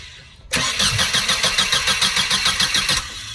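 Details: 2001 Mercedes SLK 170 Kompressor with start error P202C-8, no crank no start: with starter circuit bridged via ground on pink/red wire, starter spins engine evenly about 3.5 beats per second; cranking circuit works.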